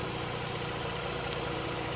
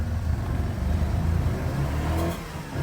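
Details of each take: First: Mazda RX-8 rotary after a no-start, about 10 minutes later, no longer smoking; even, steady buzzing idle with a quick regular pulse, no stumbles or knocks. Normal idle. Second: Mazda RX-8 rotary, cold, just caught after long cranking with a battery boost and the owner blipping the throttle. Revs rise and fall in uneven, stumbling bursts with heavy smoke as it clears fuel from flooding caused by extended cranking.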